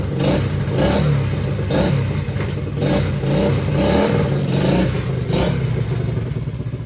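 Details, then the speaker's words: Honda XL70 K0 single-cylinder, not yet warmed up, running after clutch adjustment: even chugging with a few light throttle blips, no knocks or misses; healthy cold running. "Yeah, it's not warmed up, but all right, so that's good."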